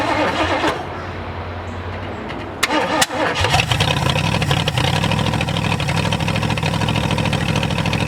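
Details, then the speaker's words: 1967 Ford F100, first start after sitting 29 years: it cranks, catches around three seconds and runs unevenly with a lumpy, irregular beat; the carburetor is suspected, not confirmed. "laughs well everybody you can see that she will run she did run um I think one of the things that's against me right a second is that carburetor"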